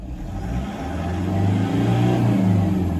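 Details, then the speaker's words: Toyota 1KD diesel after major injector work, previously knocking as if hammered: smooth even idle with steady low hum, no knock or clatter; normal diesel idle after repair. "Some people think it's a petrol engine. Amazing, isn't that amazing, people?"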